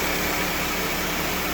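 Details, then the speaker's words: 1997 Toyota Camry with a replacement used engine, low mileage or recently rebuilt, already driven quite a bit: steady, even idle hum with a hissy background, no knocks, misses or surges; sweet running engine, normal idle. "But yeah. Sweet running little engine. We've already driven it quite a bit, and it's like a brand new car now."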